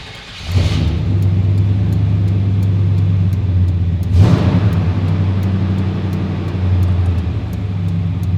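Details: 1996 Chevrolet truck, 5.7L V8, started right after fuel pump and sender replacement and key-cycle priming: cranks briefly, catches, settles into a steady, even, low idle with a small blip; normal start and idle.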